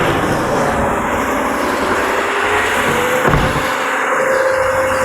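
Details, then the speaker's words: BMW 750i N63 V8 after replacing a bad high-pressure fuel pump: loud, even engine roar holding steady with no stumbling or misfire; the engine runs properly. "there you see it runs it's running right now"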